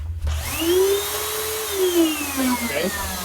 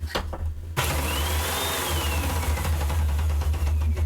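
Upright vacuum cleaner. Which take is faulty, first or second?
second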